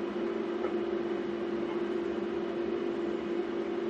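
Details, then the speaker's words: Energized hydraulic proportional valve solenoid coil on a bartending robot, driven hard with current cranked up, buzzing loudly with a steady mid-pitched electrical hum; owner suspects it may be boiling the oil, and it later sparks and smokes. "hear it buzzing let's give her a little more Jam oh maybe boiling the oil out of it or something"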